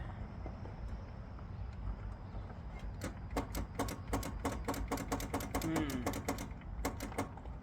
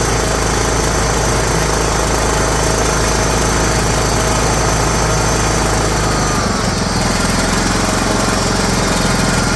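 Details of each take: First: John Deere GT262 garden tractor, sat many years, on jump box: rapid burst of sharp clicks, several each second, solenoid engaging but no cranking; starter issue, not battery. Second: John Deere GT262 garden tractor started after sitting many years, battery fully charged, starter needing a knock: small engine putters steadily at idle and settles slightly lower near the end, running evenly with no knocks; normal idle.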